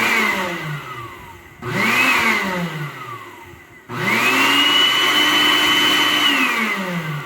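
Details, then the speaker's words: Arno Clic blender, 127 V, 600 W, which would not start until its safety switch was pressed with a screwdriver: motor spins up to a smooth steady whine, holds evenly and winds down cleanly; running normally. "vendo, gente? Motor funcionando perfeitamente."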